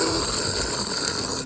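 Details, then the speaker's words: Ford Explorer Sport, old removed wheel hub spun by hand: rough gritty grinding from worn hub bearings, sounding just like the noise while driving; the new hub is quiet. "You hear the bearings? You hear that grinding? It sounds literally just like this when you drive."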